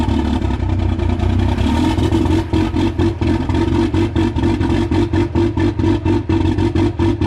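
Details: Older Cummins diesel truck at -1 with no grid heaters and no block heater; after settling, pulses unevenly with rough hunting beat; cold-start lope without grid heaters, still too cold.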